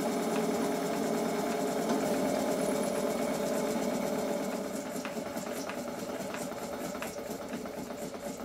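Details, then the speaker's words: Rebuilt model steam plant (gas-fired boiler) on its first live steam test: light, even ticking at about four beats a second; knocking from the piston hitting water at each stroke end soon stops and the small engine runs smoothly. "the knocking soon stops and the engine runs smoothly"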